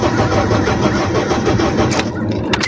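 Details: Honda Civic 8th gen with no spark, no fuel fault, cranked with scanner connected; steady two-second crank, never fires; cranks, no start.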